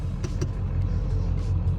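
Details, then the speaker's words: Ford F250 7.3L Powerstroke diesel after backing up a hill: deep idle with an uneven, lumpy, wavering rumble; rough idle, owner hopes it is fuel starvation, and it smooths out once driving. "Still has a little bit funky idle. I don't love that. Yeah, definitely not happy at idle."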